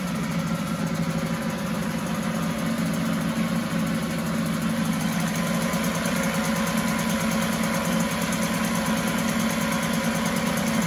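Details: 1974 Mercury 4 hp single-cylinder two-stroke outboard in a test tank, after carburetor passages were cleaned with air: even, steady idle with regular firing, no stumbles or surging; fuelling properly, runs like a top.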